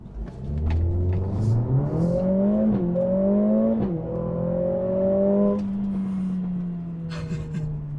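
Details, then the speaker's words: 2021 Mercedes-AMG CLA 45 turbo four in race mode with exhaust on its most powerful setting, hard acceleration: revs climb through the gears, sharp crackles and pops on every upshift, deep rumble on lift-off; healthy sporty exhaust. "I don't know if you could hear the crackles and pops from the exhaust, but it popped on every upshift, and then when I finally let off, there was a really nice rumbling sound."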